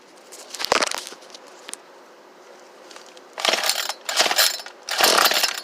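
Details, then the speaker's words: Troy-Bilt leaf-blower 32cc two-stroke, new fuel line and primer bulb, fuelled with choke on: sharp high bursts catch and fade in short runs, about three firings in six seconds; starting on choke. "Anyway, gas up, chokes up. Let's see what we can do."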